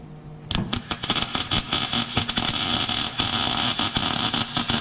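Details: MIG welding on rusty 1958 VW Beetle chassis restoration: even, steady crackle like frying bacon, no popping or sputtering; wire feed and arc properly set, normal welding.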